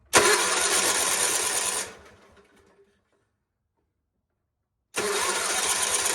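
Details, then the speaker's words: GT/18 twin after new ignition, started no choke, low idle: runs evenly about two seconds, dies, fires straight back up; sparking properly, charging system working, runs better, carburetor still needs tuning. "Charging system's working. There we go. Now she just needs a carburetor tune and she'll be good to go. Runs a lot better than it did, I think."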